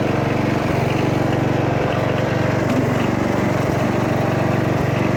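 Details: Toro Wheel Horse 8-25 ride-on mower after repair: single-cylinder engine thumping at a steady, even pace with no misses or knocks, runs smooth and healthy.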